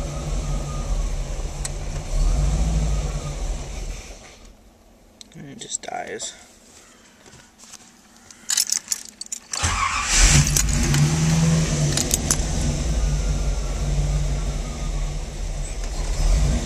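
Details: 1988 Camaro, stock 305 TBI V8, cold: uneven lumpy idle, dies, restarted and idles roughly again; only rough when cold, runs fine warm; worse with AC on; O2 sensor and throttle position sensor already replaced; hard cold starts.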